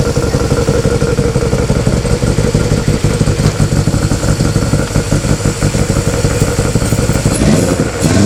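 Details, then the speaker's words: Honda Civic EF with swapped B18C4 and OBX individual throttle bodies, first startup: loud choppy hunting idle, irregular loping pulses about three per second; runs rough, owner blames current ECU setup, will try different ECU. "so that's that it doesn't run very well basically on how it's set up at the moment so we're going to go to a different ECU"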